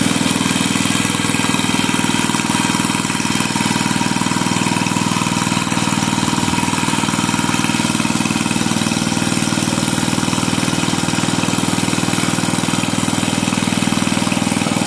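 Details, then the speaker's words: 5hp Briggs & Stratton engine from Bolens 5 rototiller after repair and reassembly, fires up easily: steady even single-cylinder beat, crisp exhaust, no misses or knocks; healthy, no oil burning or smoke. "I'd say that is one happy healthy Little Engine it is not seem to burn any oil um it's not all Smoky"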